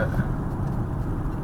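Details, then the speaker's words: Car driving on smooth roads after tie rod end replacement: even road rumble and tyre noise with no knocks or clunks from the front end; earlier clunking gone, steering no longer fights. "we're gonna get on smooth roads and see how she's acting so far I don't hear clunking like I would be four it's pretty much gone"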